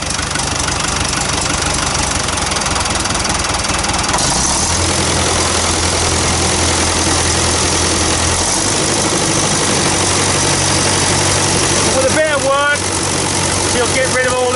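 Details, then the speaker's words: Roughly 60-year-old David Brown 40TD dozer, barn find, after overhaul with injector nozzles overhauled and new fuel bowl gasket: steady even diesel beat with no misses; runs sweetly, slight pop from a manifold gasket leak; normal running. "but it sounds really sweet though and that's nice it really does sound nice sounds like a proper david brown"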